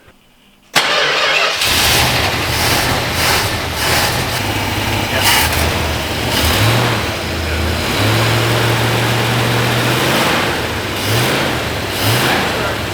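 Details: 1966 Chrysler V8, just reassembled and first fired up with the distributor vacuum line unplugged, settles into a steady idle with a few light throttle blips and an even rhythm; vacuum holding 16–17 inHg; normal idle.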